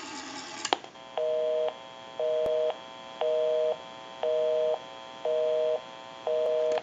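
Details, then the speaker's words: Repaired TP6A military rotary desk telephone on final checkout, calling its own number: a clean two-tone busy signal pulsing evenly about once a second. Phone and line work normally; normal busy signal. "we can give you some doubts on will call my number and it will be busy we'll make that call"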